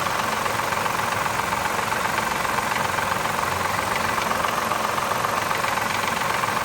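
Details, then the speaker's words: 2003 Mazda 6, 3.0 V6, about 164k miles, fresh oil pan gasket, 10W-20 oil instead of 5W-20: light, uneven ticking at idle, two to three per second, which stops at higher rpm. Owner suspects lifter or timing chain, unconfirmed. "I have it knocking. Wow, a little noise in the engine."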